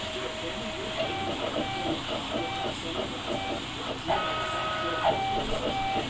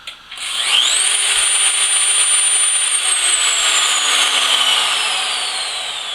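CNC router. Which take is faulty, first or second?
first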